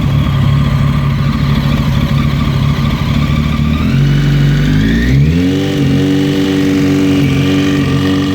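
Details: Kawasaki ZX14 engine idling with a loose uneven patter and some ticking, then revving up and holding higher; owner suspects piston slap, unconfirmed.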